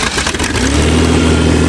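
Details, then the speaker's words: 1986 Ford Ranger, about 314,000 km, cold start in snow: engine picks up cleanly and settles into an even steady note as revs rise; earlier misfire gone, running smooth, no smoke. "oh now she's smooth sweet you can depend on your Ford on a cold day a beautiful sound in that morar I love it"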